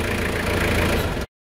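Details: 2001 Toyota Hilux 2.8 diesel after a full service with new oil, oil filter and air filter: just over a second of steady, even idle with no knocks or misses; normal idle.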